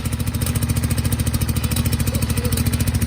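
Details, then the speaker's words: Garden tractor Kohler V-twin that sat about a year, fuel flushed, borrowed starter, jumped from a 1000 CCA battery: a steady, even thump at about 3.5 beats a second with no misses. Normal running. "That sounds better. She's alive."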